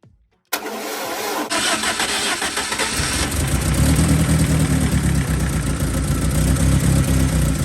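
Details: BMW E30 with a swapped M43 engine, first start after the blown head gasket repair and new oil, with a thermostat-less housing fitted for flushing. Brief crank, then the engine catches and settles into an even, steady idle with no knocks or misses.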